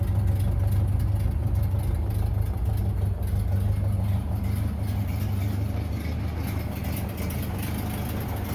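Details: 1930 Ford Model A Tudor barn find, sat 40+ years, after head gasket, wiring harness replacement and sludged oil pan cleaned: low, deep four-cylinder chug at steady idle without knocking or ticking; normal running.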